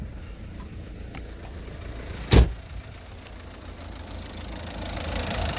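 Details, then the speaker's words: 2007 Citroën C4 1.6 HDi 9HX, no DPF, code P2670. With the faulty sensor unplugged it starts and runs perfectly; it won't start with the sensor reconnected, and the sensor is to be replaced. Low, steady diesel idle rumble with one sharp bang; normal idle. "je débranche la gc notre démarche impeccable"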